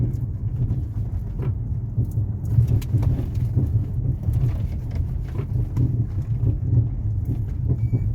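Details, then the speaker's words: Ford Fusion rolling downhill over a potholed street without braking: irregular dull knocks on every bump from a loose front brake caliper, after other shops had condemned the steering rack; the noise disappears with light braking. "vamos descer aqui a rua agora sem pisar no freio descendo direto e você vai ouvir o barulho ó o barulho"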